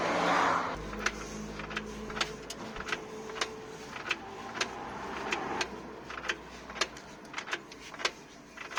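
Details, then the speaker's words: 2015 Nissan Tiida C13, owner suspects CV joint or gearbox: sharp irregular clunks, about one or two a second, heard when the car is rocked while in gear; driveline knock, source unclear. "именно когда качаешь машину на скорость"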